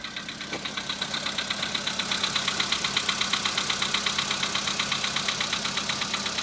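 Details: VW Polo Sedan at 26,000, knock first appeared at 15,000: sharp light ticking about 98 a minute, very even, over a quiet idle; steady engine knock of unknown cause.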